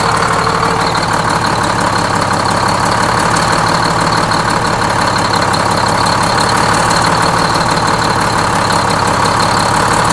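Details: Freshly inframe-rebuilt Detroit Diesel 6-71N bus engine at first start-up, with the idle being set at the governor: a loud, steady two-stroke clatter at an even idle with no knocks or misses. Normal idle.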